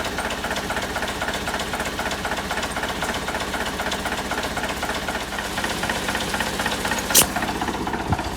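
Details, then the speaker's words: 1963 Volvo BM LM225 snowplow, diesel running at constant speed after air brake system repair, with compressor rings known to be failing: steady clatter with an even rhythmic pumping underneath; the compressor now charges brake air normally. "Something must be working. That wasn't working before because before we could run this up for 15, 20 minutes and you'd only get two pumps out the brake pedal."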